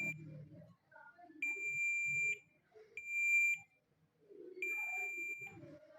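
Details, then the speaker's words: Suzuki GS150 self-starter armature multimeter continuity test: three steady high-pitched beeps about a second each with quiet handling between; every segment checked should beep, armature OK. "आवाज़ आ रही है, हर point के ऊपर आनी चाहिए।"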